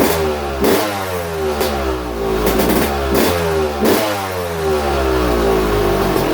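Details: YZ250 two-stroke after top end, higher-compression 5UP head, on 60% race fuel/40% pump gas, first start: crisp blips rising and falling cleanly, steady crackle, no rattle or misfire; more compression, healthy.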